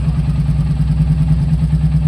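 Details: Royal Enfield Bullet 350 single-cylinder, in a workshop clip about engine noise problems: steady, even low thumping with no knocks or rattles. Smooth, healthy idle.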